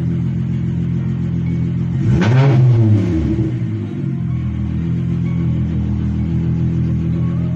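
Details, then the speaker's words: VW Mk3 VR6 with intermittent misfire and hard starting, suspected coil pack: steady even idle and one clean blip up and back down, no stumble; misfire not occurring at this moment. "For some reason it's not misfiring now. Let's see. Damn, she sounds good."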